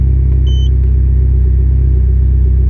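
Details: Mitsubishi Evo 10 after MIVEC delete cam gear install, warmed up, codes cleared, solenoid unplugged so it throws P1025. A steady, even low rumble with no knocks or misses; the warm idle sounds smooth and healthy.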